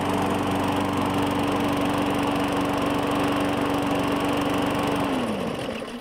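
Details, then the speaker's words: 2017 Murray 21" mower, Briggs & Stratton 450E, after cleaning the carburetor: steady even hum for five seconds, then blade brake winds it down and it stops quickly and cleanly; normal running, no smoke. "break it's good so it stops up real quick don't see any smoke so we are golden so fantastic"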